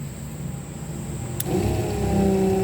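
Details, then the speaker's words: RVGUARD macerator pump powered from cigarette lighter, pumping a Class C RV black tank through a hose: a click, then steady mid-tone motor hum; normal pumping, motor gets louder when water flow isn't consistent. "You can hear the motor. The motor gets a little louder if the water is not going through it consistently."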